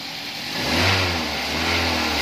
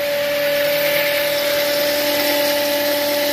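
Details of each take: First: Toyota Avanza after alternator diode replacement, revving: engine climbs smoothly from idle with no whine or hum; alternator now quiet, normal. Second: Toyota Avanza that stalled while driving, battery recharged, alternator not charging though warning light off: steady mid-pitched hum from the alternator over the engine noise; owner suspects alternator, alternator whine.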